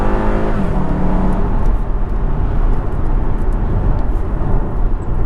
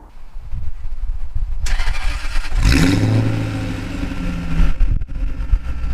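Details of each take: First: Jaguar XKR V8, after the exhaust valves were cable-tied closed and fuse 19 removed: a full-bore acceleration pull is a deep, even roar climbing in pitch with no harsh bark. The exhaust is much quieter; a big improvement. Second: Jaguar XKR with a rebuilt V8 and sports cats: two hard revs swell into a deep booming roar that drones in the cabin. The exhaust valves open at 3000–3500 rpm into the straight-pipe outer tailpipes, giving an obnoxiously loud sound.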